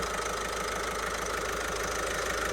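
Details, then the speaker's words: Engine idling after getting it running, with a quick, fairly even ticking knock riding over it; source in the engine bay not yet identified. "And that noise is driving me mad."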